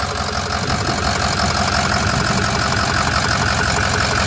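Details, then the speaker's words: Flatbed truck at about 213,379 on the odometer, idling with the hood up. Rough, uneven loping beat near three a second with stumbling pulses; misfire at idle that is getting worse. "that sounds terrible now it's running bad island now it's definitely getting worse they used to run good when it's sitting idle no it's not"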